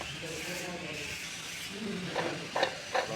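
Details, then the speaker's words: Mitsubishi Lancer with engine noise at start-up, timing belt and water pump job: removed water pump turned by hand gives a dry, gritty rasp with light irregular ticks; worn water pump bearing, replaced with new pump. "இப்போ வந்து பார்த்தீங்கன்னா sound வந்து பாருங்கள் water பம்பில் தான் வருது."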